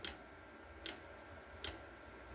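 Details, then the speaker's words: Oscillating voltage relay as a permanent magnet is brought near: sharp, even clicks about every 0.8 seconds, getting slightly closer together. The oscillation frequency rises with the magnet close and drops when it is backed off. "Okay, just coming near it with the magnet. So listen. See that? If I back off, the amount of hertz goes back down. Then I go back up."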